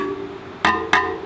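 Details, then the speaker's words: Rad City e-bike spokes plucked during assembly: two pings, one bright and one duller. Tension is uneven, so the spokes, including the back wheel, need retightening with a spoke tightener. "Well, you can hear that there are some different frequencies, so we're going to have to go back with our spoke tightener and do the back as well."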